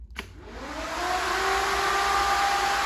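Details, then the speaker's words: Factory Five Mk4 Cobra replica, first power-up of systems before first start: ECU-controlled electric cooling fan switched on with the key, spinning up over about a second to a smooth steady whir, no rubbing or ticking, blowing the right direction; normal electric fan operation. "i've hooked the fuel back up to the ecu so when i turn the key now the electric fan should turn on"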